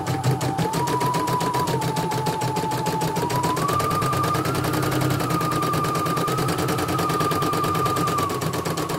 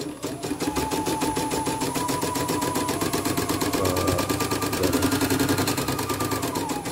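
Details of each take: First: CNY E900 embroidery machine after motor (dynamo) replacement and sensor test, previously heavy running with hissing: fast even stitching chatter, steady motor tone, no skipped stitches or knocks; normal embroidery run. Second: CNY E900 embroidery machine, heavy rotation: fast steady clicking at stitch rate with crackling edge each stroke; thread snagged in the rotary hook/thread path, then fixed.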